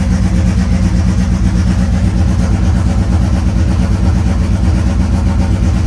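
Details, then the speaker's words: Mitsubishi Eclipse GSX AWD turbo nitrous drag car, cold start after sitting weeks, not yet tuned: deep lumpy idle pulsing unevenly about twice a second; rough cold idle, owner expects it from lack of tune. "so this is gonna be a cold start so it's not tuned yet so it's probably gonna start like crap but deal with it because race car"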